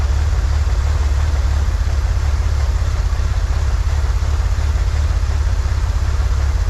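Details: 1963 Corvair flat-six after vacuum leak fixed, new PCV valve, fuel mixture adjusted: steady even low rumble at slightly high idle, no misses or knocks; "that's the sweet spot," idle to be lowered. Normal idle.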